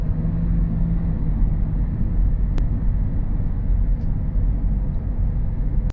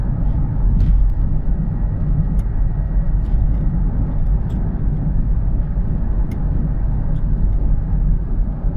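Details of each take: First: Honda CR-V on a road test after a wheel bearing replacement, left side suspected. It had a noise that grew louder with speed; now a steady low road rumble at cruising speed with no hum or growl. Normal road noise. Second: Honda CR-V while driving: constant low hum droning under road noise that grows louder with speed; suspected worn front wheel bearing, though the bearing showed no free play when checked.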